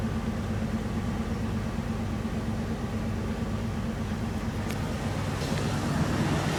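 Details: Jeep TJ Wrangler idling after Seafoam use: uneven, lumpy rumble stumbling roughly twice a second instead of running smooth. Engine misfire; cause suspected, not confirmed.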